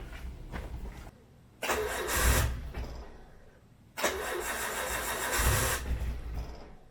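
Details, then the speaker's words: Nissan S14 RB20 cold start after swapping in an RB25 turbo: two cranking bursts, then a deep low rumble; the earlier exhaust chatter is gone and it sounds better. The idle air control valve makes it run poorly when cold. "It sounds good though. Oh, it definitely sounds better."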